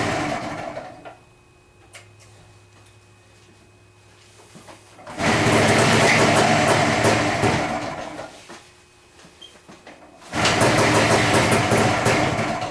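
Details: Motorcycle, old ethanol fuel, choke on, after a long lay-up: engine catches in loud uneven bursts of a few seconds then dies. Bad carburettor floats make the mixture hard to set between lean and rich; owner suspected a stuck float and tapped it.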